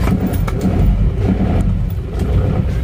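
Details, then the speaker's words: Isuzu Panther diesel: a deep, rough drone with dull thuds as it is revved, limping and lacking power on the road, with thick smoke. The engine knock comes from weak injection and worn main bearings. "Mobil ini kendalanya adalah mesinnya itu seperti pincangan dan ketika di gas itu suaranya duduk ya teman-teman"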